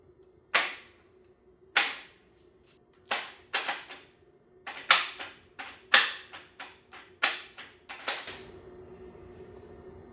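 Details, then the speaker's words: 300hp turbo GSXR motor in a 6x6 mini Jeep, freshly rebuilt, cranked by bypassing the start relay: about a dozen sharp irregular bangs, roughly one a second, then a faint hum. Cause of the banging unknown. "That sounds very interesting. It does, doesn't it? Yes. I don't know. That sounds horrible."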